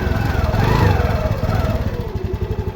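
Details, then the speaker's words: TVS Jupiter BS6 scooter revving after a fix for hard starting and stalling, with the cause found to be a stuck ISC valve. A clean, even putter that climbs and settles smoothly with no stumble or hunting; normal. "Perfect ആണ് ഇത് ഐഎസ്ഇ valve stuck ആയതാണ് പിന്നെ വേറെ ഒന്നും നോക്കിയില്ല"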